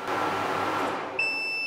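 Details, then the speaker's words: Nearly exhausted 100Ah self-heating LiFePO4 battery feeding an inverter: a compressor tries to start with a short strained surge that cuts out, then a steady high-pitched low-battery alarm beep; the battery can no longer supply the starting load. "there it went it tried to do it and it just couldn't do it I'm going to turn that off I don't want to hear the beeping anymore"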